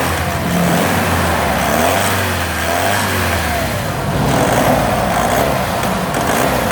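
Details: Vauxhall Omega petrol engine idling and revving unevenly with a stumbling, lumpy beat that breaks up as revs change; engine misfire.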